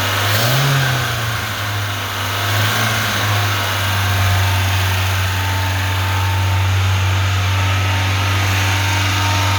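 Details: Lada 2104 carbureted engine running without choke; brief rev swell, then a steady even mid-pitched hum. Owner suspects a bad fuel pump as the cause of the no-start.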